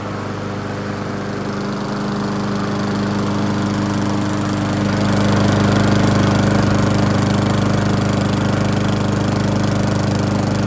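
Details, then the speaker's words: 22-inch Weedeater lawnmower, a free hobby project prone to running hot, running steady after a seasonal tune-up; even low hum, no misses or knocks, only a short run but it sounds good; normal running. "all right well we didn't run it for that long but it sounds good"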